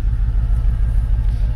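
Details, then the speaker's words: Mercedes CLK 55 AMG V8 stored in a barn over a year, started, smoke not condensation, with smell: deep lumpy idle with uneven pulsing beats; blown head gasket, car undrivable. "c'est pas de la condensation c'est voilà un problème qui se résume en trois lettres J D C comme on dit dans le jargon un bon vieux jint de culasse"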